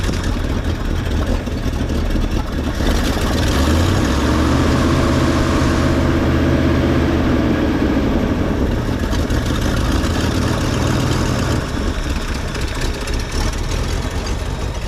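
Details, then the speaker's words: 1966 Ford Mustang coupe, 289 V8 with carburetor and C4 automatic, heard from inside the car: deep, loping, slightly uneven idle at about three beats a second; idle speed is set low and needs a small adjustment upward. "small idle adjustment should get it running the way it needs to be"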